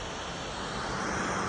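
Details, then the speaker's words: MacBook Pro 13-inch 2018, running after power-on: loud steady airy whoosh with a faint hum underneath from a worn, loose fan. "Kerusakan yang terjadi pada MacBook Pro tahun 2018 ini, suara fan-nya kencang. Jadi pada saat dinyalakan, suara fan MacBook itu kencang."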